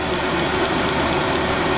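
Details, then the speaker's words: Lavaner Pro 5kW Chinese diesel heater in a campervan, controller turned up to the maximum 5.5 Hz fan setting: a steady fan rush with a faint even fuel-pump tick several times a second, blowing air out faster; normal running at full output. "5.5 hertz, that will cause the air to blow out here quicker."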